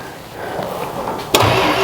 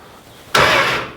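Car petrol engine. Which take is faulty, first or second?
first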